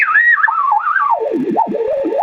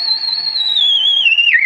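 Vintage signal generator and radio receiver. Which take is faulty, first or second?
second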